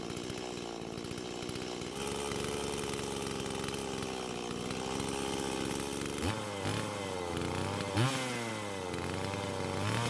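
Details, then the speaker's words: Stihl MS170 chainsaw after parts swaps, previously shutting itself off: small two-stroke holds a steady buzzing run, blipping up and back cleanly without dying, stopped with the switch; normal running. "well I guess it's working now this time I had to turn it off with the switch instead of it deciding when to turn off"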